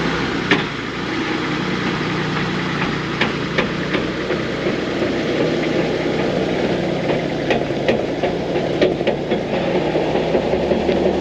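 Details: GQ 4x4 driven slowly with handbrake released: irregular sharp clunks over low engine drone; a whine came first, wheel bearing suspected, but the differential was found failing and blew; clunk before diff replacement.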